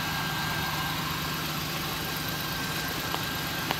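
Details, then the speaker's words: 1999 Ford Taurus 3.0 OHV V6 idling after a jump start from a dead 9.9 V old battery, with a replacement alternator charging. Constant low hum and a faint steady charging-system whine, no misses or knocks; normal idle. "Went through three bad alternators to get a good one. And she's running under her own power now. Charging up."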